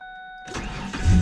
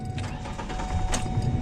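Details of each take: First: Ford Ranger after its no-start fault was tracked down and fixed: a couple of chime tones, then the starter catches and the engine fires cleanly into a firm, even idle. Normal engine start. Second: 2004 Ford Ranger XLT 4.0, 275,000 miles, no start that morning: key chimes, then the starter cranks the engine steadily but it never catches. Owner first wonders if it's out of fuel.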